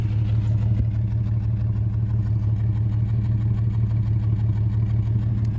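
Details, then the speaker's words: 1989 Jeep Comanche Eliminator, 4.0L, AW4 automatic, at idle after a drive: deep idle with a regular stumble about three times a second; consistent misfire of unknown cause. "that's a consistent misfire God damn it why didn't it do this when I was driving it"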